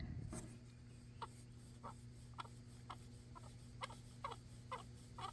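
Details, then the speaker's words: JCB 260T skid steer heater/HVAC blower fan, dirty from poor prior maintenance, removed on the bench: short high chirping squeaks about twice a second as the fan turns and drags, a dry worn motor bearing or bushing; unsure which it has. "can still hear that squeaking sound so I don't know if this thing has got bearings or bushings in it but we are going to find out"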